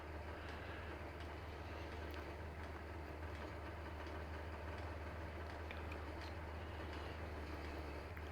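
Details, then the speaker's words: Chinese diesel air heater that had shown error E-03, just after its glow plug was replaced. Past startup, the pump kicks in and the fuel ignites: a steady low roar over an even hum with no popping or sputtering, normal burner running. "So this is in its startup sequence, past the initial checks, and now the hopefully the heater will work properly. Yeah, I can hear it now. The fuel is ignited."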